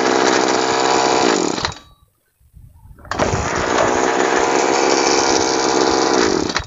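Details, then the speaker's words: Two-stroke sprayer engine, formerly hard to start and stalling, after screw adjustment with a screwdriver, no plug or fuel-mix change: steady high buzz, brief cutout, then smooth even running; normal running. "dan sekarang masalahnya sudah teratasi tanpa harus mengganti busi tanpa harus ke tukang service atau tanpa merubah campuran BBM"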